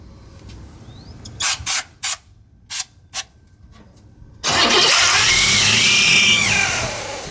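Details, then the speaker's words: 1965 El Camino that sat for years, running well after a new fuel pump: following several cranking bursts it catches, then a piercing, steady high squeal rides over the engine. Cause is unknown (timing or distributor wondered). High-pitched screech while running. "What is that? I don't know, brother. It runs really good though. Say it's running. Oh man. Jesus. That's ear piercing."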